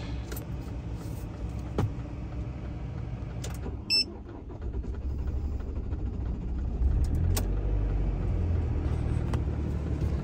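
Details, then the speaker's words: Ford Transit campervan diesel at minus 25 °C in Arctic Finland after Webasto preheater run, fuel gelling earlier: brief catch then low, uneven diesel rumble settling to idle, engine oil warning clearing within seconds; rough cold start. "it didn't sound like an amazing start, but we're on. The engine oil warning cleared in a few seconds."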